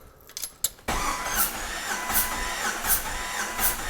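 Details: 2000 Jeep Cherokee XJ, 4.0L, low miles, cranking with the spark plugs out during a compression test: a steady starter whir with even pulses. Cylinders read about 135–150 psi, within the 120–150 spec, so it passed. Compression is healthy.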